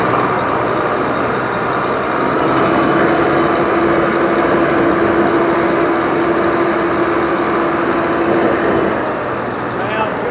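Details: 2004 Volvo truck, diesel, started after sitting years: steady, even engine drone with faint constant hum, no knocks or misses; idles cleanly.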